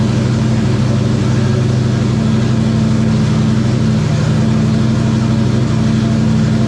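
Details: #94 Terry Labonte Oldsmobile race car V8, after replacing bad spark plugs and plug wires (arcing wire, near-zero plug gap): loud deep smooth even idle, no stumble or misfire; running clean and strong.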